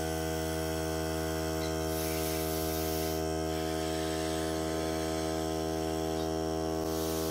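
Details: Hart cordless air compressor during testing, pressure around 30; steady, even motor hum with no hissing or surging, normal running.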